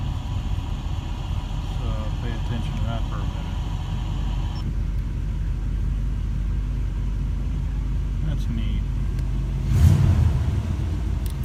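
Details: 1985 Oldsmobile Cutlass 442 running after a starter replacement (the old gear failed to retract and hit the flywheel): a smooth, steady low rumble with one brief rev blip and no grinding or clashing; healthy idle.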